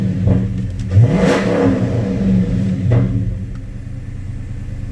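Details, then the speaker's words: 2009 Dodge Challenger SRT-8 V8 after new evap purge valve install and code clear: catches quickly, clean rev rises and settles back to steady rumble with no stumbling; healthy start and rev. "It's on over here because we haven't started up the car, but let's go ahead and start it up."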